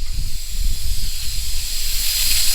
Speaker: we'll put these in and that's going to bring that vacuum way up I mean one of these is a big leak but three of them this will jump it way up